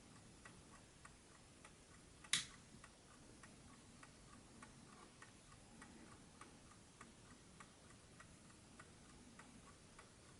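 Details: 1968 French JAZ VINIC 1260-13 "DISCRETO" wind-up alarm table clock, mechanical calibre 4PA movement, known for its quiet tick, repaired: soft, even ticks at a steady beat in a quiet room, no stumbles or rubbing; the movement runs healthy.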